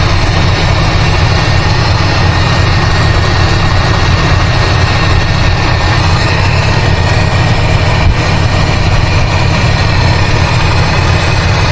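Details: 1985 GMC C25 with a 454 (7.4L) V8, Turbo 400 and 750 carburetor, with ongoing fuel delivery problems. Loud, deep idle with a seemingly dead cylinder; unplugging plug wires made no difference. Misfire at idle; spark plugs to be checked next.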